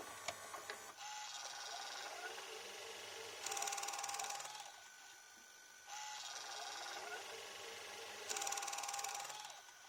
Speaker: En fait, le dynamic drum, il marche parfaitement. Il marche, mais genre parfaitement.